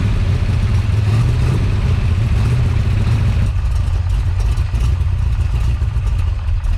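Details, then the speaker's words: Big-cam big block Chevy with a rebuilt Holley 750 Double Pumper, after fixing a loose power valve that dumped fuel out the vent. With the curb idle screw raised it idles high, then sags and wants to stall without a pump shot; rough idle, unresolved. "so you saw there I turned up the curb idle screw it idle went up I was able to let my hand off the throttle but it was idling high and after a few moments it wanted to fall back on its face and wanted to stall out and it needed another pump shot of gas"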